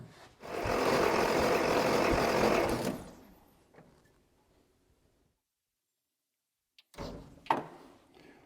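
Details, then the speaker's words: 1962 Austin Healey 3000 MK II sat 20+ years, oil soaked in cylinders, power hooked up: about two and a half seconds of steady, even starter cranking, engine turns over; compression later 120–185 psi; normal cranking. "So I got some power hooked up to it. Let's see what it does. Oh, hey. We got lucky there."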